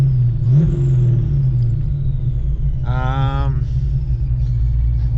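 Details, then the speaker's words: Fox body Mustang V8 idling with steady high blower-like whine from back of engine near bellhousing, not the belt; cause unknown. "hi guys I don't know if you hear that that's squealing that sounds like a damn blower I promise I have not put a blower on this car"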